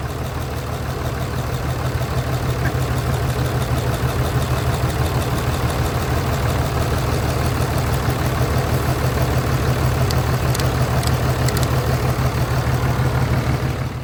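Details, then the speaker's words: 5.9L Cummins turbodiesel from a 2006 Dodge Ram 2500 with 368,000 miles; rough, uneven, lumpy low-thump idle with clattery undertone; misfiring constantly, with heavy blowby out of the oil cap hole. "So as you can tell, this 5.9 liter Cummins Turbodiesel is sick. It's bad."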